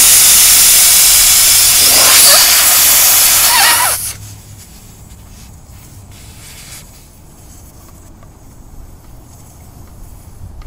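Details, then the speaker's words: Ram ProMaster City tire during valve stem core replacement: loud steady hiss of air rushing out the open valve stem for about four seconds, then quiet, losing tire pressure. "now you can see what happened though I wasn't quite so quick about doing that with all that air rushing outs I lost quite a bit of air in the tires"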